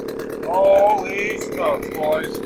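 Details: Chainsaw after a new carburetor was installed, air cleaner off and choke off, tuning still expected: holds a steady high buzz without surging or dropping out, running cleanly.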